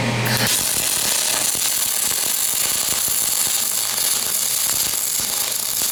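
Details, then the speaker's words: Aluminum MIG weld with a PrimeWeld MIG 285 and spool gun after raising wire feed speed, part warmed up: even, crackling hiss of a steady arc without popping or spatter; smooth bead. "this side should War this side should weld smoother now that the part's all warmed up too"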